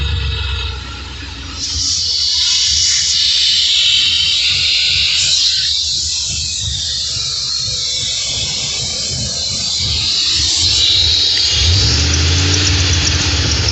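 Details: Cammed 2002 Ford Expedition V8 after hose removed and brake cleaner sprayed: thin high squeal with airy hiss rising and falling on revs, source unclear; engine squeal when revving.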